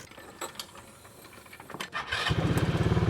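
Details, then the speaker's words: Polaris RZR after exhaust leak repair with new header gasket and new studs: starter cranks briefly, then even thumping idle about three and a half beats a second, no leak puffing, much quieter; normal exhaust note. "Oh, yeah, that sounds way better. I'm not losing my eardrum anymore."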